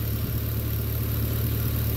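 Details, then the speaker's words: 2011 Chevrolet Caprice PPV LS L77 V8 on 10W-60 Redline oil with AFM disabled, about 1,000 miles later: smooth idle, steady low hum, only injector noise, no lifter tapping or chirp. "you don't hear any tapping or anything other than any injectors runs great"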